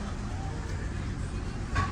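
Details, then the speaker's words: Nissan Altima four-cylinder at idle, check engine light on but not flashing: low uneven idle with irregular stumble; misfire caused by leaking valve cover gasket. "Got a Altima misfire. Check engine light's on."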